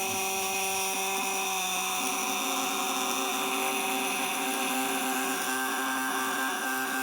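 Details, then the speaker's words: 200 W vibrator inverter (platina contacts, 12 V battery) with the contacts tightened: steady, even high buzz under full lamp load; 200 W is its maximum, and tightening further gives no more power. "Nah ini tandanya Bali 200watt maksimal segini ya karena kalau kita Kencangkan lagi yaudah gak ada peningkatan daya"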